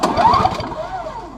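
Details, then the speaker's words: Trash-picked Snapper 17 LE two-stroke snow blower, pull-started: a short burst of quick chuffs that dies away without firing; it turns over freely, and a spark check shows spark but weak. Cranking, no start due to weak spark. "but it's kind of weak let me see if yeah it's a week it's got spark but it's weak"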